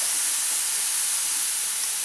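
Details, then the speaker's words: All American pressure canner after processing chicken stock jars for 25 minutes, heat off and gauge back at zero, with the weight removed: a steady, even high-pitched hiss of steam venting the remaining pressure; normal. "and it's releasing the rest of the pressure in the caner"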